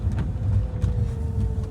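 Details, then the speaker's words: 2006 Nissan Altima SE-R driving around the neighborhood on a cold day: steady mid-pitched whine over engine and road rumble from the power steering pump; something is leaking, owner unsure whether the pump or a hose. "Yeah, you guys can hear the whining. That's the power steering motor."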